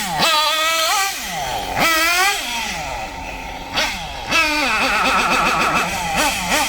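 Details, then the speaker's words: Kyosho MP9 nitro buggy engine during tuning, high-speed needle deliberately leaned too far: sharp rev bursts stumble and hesitate before climbing, mixture too lean, borderline; to be richened. "Oh yeah, you can hear it. Listen for the hesitation. It's too lean."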